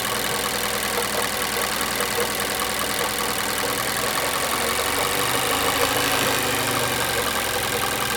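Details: 2017 Mazda 6 Skyactiv 2.5 at 78k mileage: steady idle with a light, somewhat irregular tapping at about two or three per second; the knock occurs at idle and in drive, with its cause unknown.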